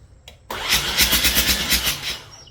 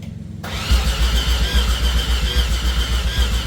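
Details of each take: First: 1989 Mazda RX-7 Turbo II rebuilt engine turned over for the first time, oil filled, spark present, no fuel added yet: starter spins it about four times a second in an even rhythm without firing; normal cranking, no start. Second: 1989 Mazda RX-7 Turbo II rebuilt rotary, first start attempt with no coolant, fuel pump relay jumped and no fuel pressure yet: the starter cranks at about four pulses a second but the engine never fires.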